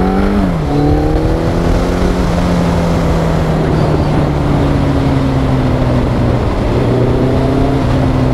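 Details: Yamaha XJR1300 inline-four, pre-collection test ride: smooth, strong note climbing through the revs, dropping at each gear change and pulling cleanly again; healthy engine under acceleration.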